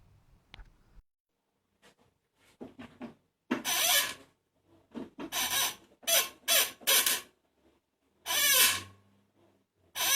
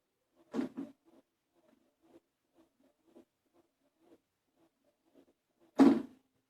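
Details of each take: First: 1997 Toyota Starlet EP91 with hydraulic clutch: sharp squeaks each time the clutch pedal is pressed, from the slave cylinder pushing the dry release fork pivot; fix is greasing the pivot. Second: 1997 Toyota Starlet EP91, hydraulic clutch, after greasing the slave cylinder pushrod and fork pivot ball with bearing grease: pedal cycles with only dull thumps, no squeak. Quiet clutch operation after the fix.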